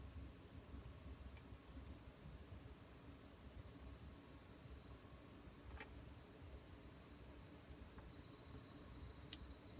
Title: My Gigabyte 980Ti G1 coil whine!